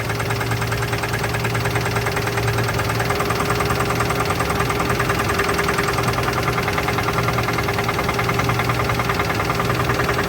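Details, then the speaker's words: 1983 GMC S15 Jimmy 2.8L, unrun 15+ years with passenger valve cover left off: fast, even lifter clatter over a steady idle and a possible knock; oil pressure gauge didn't move, no oil reaching lifters on the open side. "didn't sound like it was building oil pressure there's no oil pressure coming up out of these lifters on this side I know the oil pressure gauge just pegged out and it didn't move that sounded like it had a knock too"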